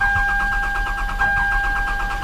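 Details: Old Toyota Camry with intermittent no start and exhaust backfiring, on a jump pack: starter churns at a steady quick beat with a whine, engine never catches; crank no start, suspected cam/crank signal problem, no ignition.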